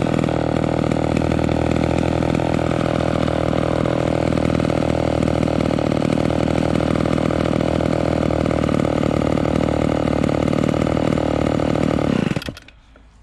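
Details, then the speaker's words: Vintage Homelite XL12 chainsaw just after adjusting the low-speed idle mixture screws: steady, crisp two-stroke idle holding even speed for twelve seconds without stumbling or loading up, good throttle response, then cut off; well tuned. "so see that sounds pretty good we got we got good throttle response and it's idling without loading up"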